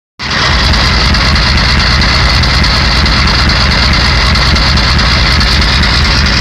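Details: 1991 Ford 7.3 IDI diesel: loud idle with constant hard clatter and an uneven pulsing beat that never smooths out; owner suspects bad injectors.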